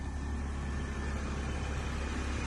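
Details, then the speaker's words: Hurricane Ian flood-totaled, fully submerged Pontiac Solstice, first start: smooth even rumble with no misses, knocks or ticks; running beautifully, though some moisture noted. "I cannot believe it. It's running beautifully. Easy."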